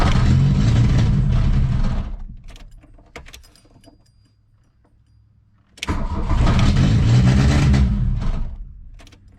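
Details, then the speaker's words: 1982 VW Rabbit catches and roars up hard twice on barely any throttle, then sags back toward stalling; the engine surges on light throttle, cause not yet found. "if I give it any gas seems like it's going to go full throttle and I'm just barely touching the [Music] throttle"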